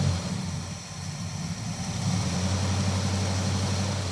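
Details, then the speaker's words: Crew-cab Charger V8 idling just after an oil change, after a tick faded once oil circulated: a lumpy, uneven pulse with a level that sags and recovers; the misfire has returned, cause not yet found. "She's back to misfiring again. Dang it."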